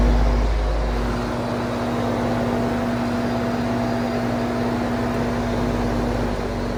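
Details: Vintage Sears box fan running in exhaust: low steady electrical hum with soft even airflow, medium speed more normal than in intake; heavy motor hum, owner suspects bad windings or switch.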